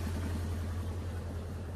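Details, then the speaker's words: Miller Big 20 welder engine after idle adjustment: even, low, steady rumble with no misses or knocks, now idling at the proper speed (spec 1200 rpm idle, 1800 when welding); normal idle. "but anyway yeah you just saw I got this idling at the proper rpm"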